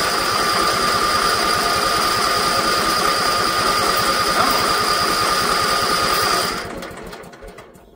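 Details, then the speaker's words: Old Briggs & Stratton electric-start generator, first start in years, choke on, gas turned on: steady fast cranking about 3.5 beats a second that never fires; no fuel getting through, with a purge valve on the regulator found afterwards. "I don't know if we're getting gas through. Ah, there's a purge valve on the regulator."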